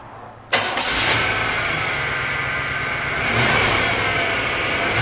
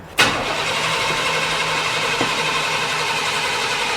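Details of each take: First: 1997 Chevrolet 1500 5.0L that died while driving, after replacing the failed fuel pump (was only 20 psi) and filter, pressure now about 60 psi spec: catches quickly after brief cranking, revs smoothly twice and returns cleanly. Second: 1997 Chevrolet 1500, 5.0 L V8 that died while driving, cranked with a charger connected and brake cleaner sprayed into the intake: the starter spins at a steady, even pace but it never fires; crank-no-start from a failed fuel pump with no fuel pressure.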